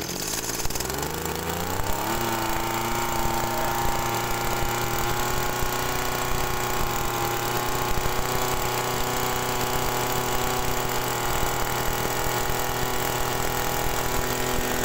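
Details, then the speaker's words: TU26 two-stroke agricultural sprayer engine with high fuel consumption, dry air filter: uneven idle buzz, then slow-rising revs with flat bogged note at full throttle; rich running suspected, not confirmed. "Oke kalau untuk langsam ini ee e kedengaran Memang agak keborosan Nah untuk meyakinkan bahwasanya dia itu keborosan feelingnya saya ya teman-teman itu kalau digas full itu rpm-nya itu lambat naiknya ya jadi enggak mau teriak si mesin ini"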